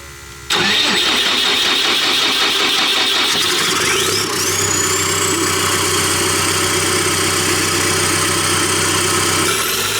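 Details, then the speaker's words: Cat D3K2 dozer: long crank of several seconds before catching, then rough uneven idle under rising turbo whistle; runs with exhaust disconnected but not when hooked up, no soot codes, suspected plugged DPF, to be pulled. "I'm still very kind of mind blown that there's no codes for it, but clearly when the exhaust is hooked up, it won't run, and it will run with it not hooked up."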